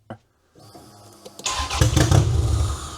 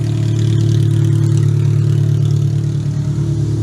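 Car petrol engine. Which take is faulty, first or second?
first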